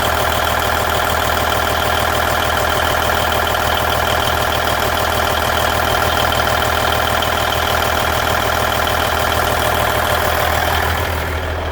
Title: Cummins N14 Engine Sound Noise at Idle 1999 Volvo VNL 610